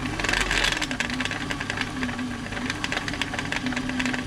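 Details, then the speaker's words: Singer 507 sewing machine with covers off, lying on its back, during a service for feed dogs not moving (feed dog gears replaced): fast, uneven, loud clatter and rattle over the motor hum. The mechanism is dry and needs oiling from the top. "are a little bit noisy sometimes when the covers are off it's laying on its [Music] back sometimes you can just loosen a gear off that's the noise I think you can hear that bottom play on it really though oil it from the top that just be dry"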